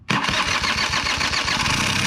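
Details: Small engine that sat since last fall, run on ethanol-free gas, after adding fuel: catches almost immediately and settles into a steady, crisp buzzing idle; healthy start once fuel reaches the carburettor.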